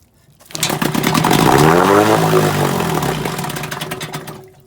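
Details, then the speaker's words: 1964 Evinrude 3 HP outboard after shaft alignment and lower-unit reassembly, choked: catches and buzzes up with rapid popping, holds a few seconds, then fades and stalls; needle setting unresolved, cause not confirmed. "is where I get annoyed because you get it running and then it stalls right out."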